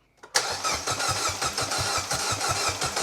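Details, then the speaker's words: Mini Cooper S with a £100 used replacement engine just fitted (the original had zero compression in cylinder 1), first crank: fast, even, strong cranking at about five compressions a second with no catches; it cranks over well. "It cranks. Any leaks?"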